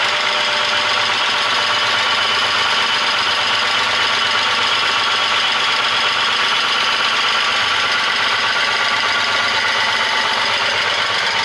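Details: VW Passat Variant 35i VR6, started after long standstill, camera held close to the noise at idle: fast, bright ticking clatter, steady; valvetrain tick, hydraulic lifters suspected; timing chains reportedly already done.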